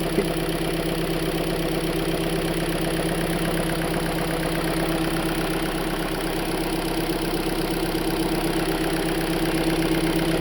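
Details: Hyundai Elantra engine after rod bearing replacement for rod knock: even idle, no deep knock, just a faint light tick on top.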